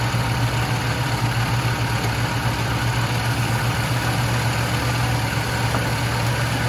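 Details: 1976 Lincoln Continental 460 big-block V8 with 41,000 original miles, idling: deep, steady idle with a smooth, even beat and no knocks or misses; normal, healthy idle.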